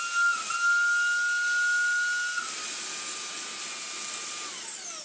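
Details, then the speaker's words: Handheld vacuum, dirty and in need of maintenance, makes a loud hard high whistle over the motor hiss when its airflow is blocked, dropping in pitch as it spins down; whistling from the blockage. "That noise is what this makes when you block it up. So just like the Shark Wandvac sounds like a train, this does too."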